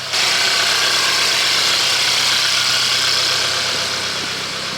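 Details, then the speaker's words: Mercedes-Benz cold idle that sounds frisky: steady even idle with a light fast patter and no misses or knocks, normal. "All right, time for a cold start on the Benz. Sounds frisky, let's take a listen."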